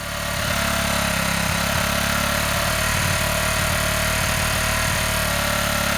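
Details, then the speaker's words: Honda CG125 single on old fuel with an uncleaned carburetor and weak battery, first run held at slightly raised revs: lumpy, uneven running with irregular stumbles. A gummed-up carburetor is suspected. "Right, as you can see, that was running at slightly higher revs. It sounds rough as a bag of spanners."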